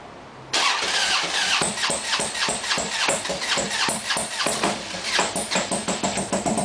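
Starter cranks in a long run of uneven chugs with no clean catch into a steady idle; this V-twin is hard to start.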